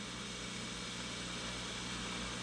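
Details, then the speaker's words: Sears Silvertone Twin Twelve 1484 tube amp, signal tracer on a 12AX7 pin 3 cathode resistor, no tube in socket; steady ocean-like rushing hiss with low hum; noisy resistor likely adding preamp noise, to be replaced. "got another noisy resistor here that could explain some of the noise coming in on the 12ax7 so we're gonna swap that out"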